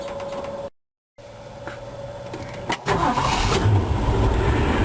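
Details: 1965 Ford Mustang GT with newly installed distributor/coil kill switch hidden as fog light switch, switch on: starter churns briefly, catches at once, steady even idle; clean healthy start.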